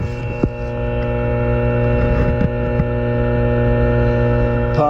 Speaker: humming away the actuator down in the tank i can hear it it's running now